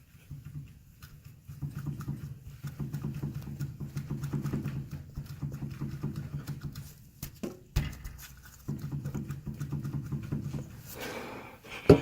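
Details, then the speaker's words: 2013 Nissan Pathfinder SL 4WD, 80,000 miles, owner complains of front suspension clunk: dull, rapid low knocking in bursts as the front sway bar is rocked by hand with load on the control arm, from worn sway bar mount bushings. "might not sound like much right now but when the weight of the car is on the ground that will absolutely resonate and you'll be able to feel it through the suspension"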